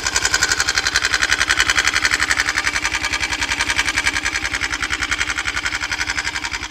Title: 169fmm стук в двигателе после прихвата